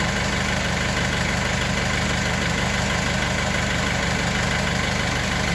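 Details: Mercedes W210 diesel idling during R134a AC recharge, compressor cut in: steady clatter plus an even compressor hum, no knocking or grinding; normal AC compressor running.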